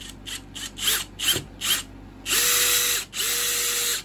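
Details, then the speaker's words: Bosch GSB 18V-90 C cordless drill with Precision Clutch control switched off, working as a classic screwdriver: sharp clicks about three per second, then a steady motor whir as the clutch slips on reaching set torque; normal clutch ratcheting. "gidip debriyaj sesinin nasıl olduğunu görün tamam mı Bu ses stop noktasına vardığında ne yapıyor"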